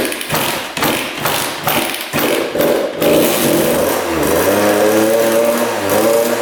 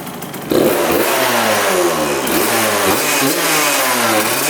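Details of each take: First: 1999 Suzuki RM80 two-stroke started with premix squirted down the carb: it catches, then surges and sags and sounds boggy, then won't restart. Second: 1999 Suzuki RM80 two-stroke dirt bike after spark plug replacement: catches at half a second, then steady even buzz with light blips, no misfire; normal running, owner thinks the plug was the cause but still watching for dying when hot.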